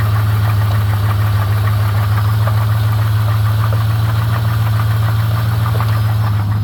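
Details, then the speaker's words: 1999 Chevrolet Camaro Z28 V8 idling after sitting four years, with reported torque converter/transmission problems: steady low rumble with light, fairly quick ticking knock; owner unsure whether rod knock or lifter, not confirmed. "it does have a noise coming from the engine i can't tell if it's coming from the bottom end being a rod or a lifter something like that"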